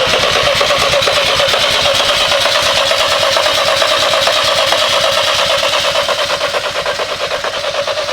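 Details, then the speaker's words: BMW engine swapped into a Volkswagen, first start attempt after correcting the starter trigger wiring: even starter whirr with quick regular compression beats for about eight seconds, then it winds down; cranks freely but does not fire. "This thing, it sounds like a forklift with this started, doesn't it?"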